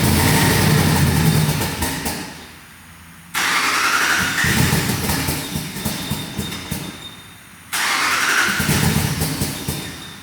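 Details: 2019 Ram 5.7 with start button and factory relay installed: starter churns at a steady four turns a second in two long attempts, engine never fires; crank no start, relay voltage being checked.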